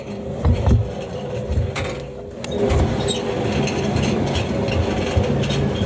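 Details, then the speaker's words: Siemens IQ300 WD14H320GB washer dryer on an intensive dry with a 3.5–4 kg load: the motor rumbles deeply and unevenly, with a hum and light knocks. The rumble persists with the belt off, so the owner suspects the motor; it calms as washing continues, and the pulley has been oiled. "it's coming from there because I take the belt off the motor doesn't matter the motor's got the rumble to me that calms down as the machine washes though"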